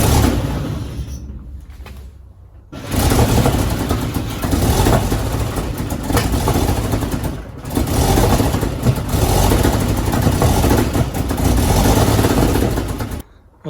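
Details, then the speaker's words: 1953 Chevy truck sitting 40 years, choke off: the starter cranks three or four turns a second in long bursts and never catches, because the mechanical fuel pump that pumped earlier has stopped pumping; fuel starvation. "that didn't go very good. Fuel pump's not pumping. So, it was pumping before."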